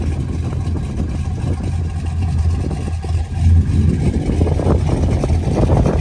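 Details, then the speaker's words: LS-swapped daily driver with 200,000 miles, driving after a repair: a noise from the firewall area, heard only while driving, is gone; deep, even V8 rumble with no knocks or rattles; slight lifter chatter remains. "I usually could really never hear it at idle but I could only hear it when I was driving just kind of like in the firewall [Music] area yeah it's definitely fixed it sounds way way"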